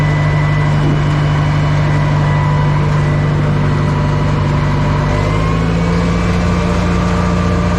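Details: Old Caterpillar 955L track loader, long unused, after topping up transmission and another reservoir (thought to be the final drive): heavy diesel pulls smooth and even, deep drone rising slightly under throttle, no knocks or slipping; running healthy.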